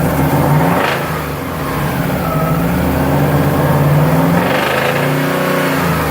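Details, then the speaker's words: Subaru engine revving up and down with rapid metallic knocking quickening with rpm; oil change afterward found many metal particles; owner is sure it's a rod bearing, engine to be opened; rod knock. "Tengo un ruido bien feo como por el cigüeñal y esas partes así. No estoy muy seguro si es eso."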